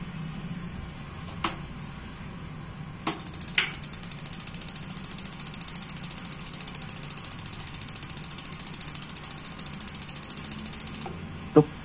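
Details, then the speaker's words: Gas water heater test: a click, rapid even igniter ticking about five sparks a second for eight seconds, then a closing click as the gas valve shuts because no flame is sensed. "nutup karena tidak ada api yang disensor"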